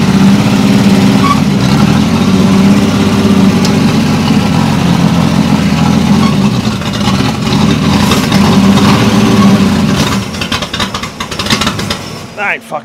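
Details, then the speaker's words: Caterpillar D2 crawler with Holden 202 petrol six and Stromberg carb: steady run ten seconds, then sags, surges and dies unevenly; owner suspects carb not keeping up with fuel after earlier flooding, fuel possibly stale. "stop going to take the top off the carburetor I think it's running out of fuel now it's before it was flooding now it's not keeping up with it"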